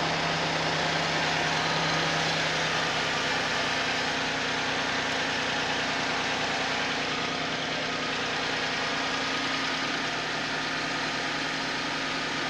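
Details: Suzuki Vitara at steady cold idle: fast regular knock about three times a second over the engine, suggesting an internal knock when cold.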